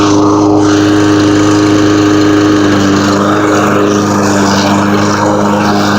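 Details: New Husqvarna all-wheel-drive pull-start push mower, belt-driven wheels: loud, steady drone holding an even pitch with no sputter or surging; normal running.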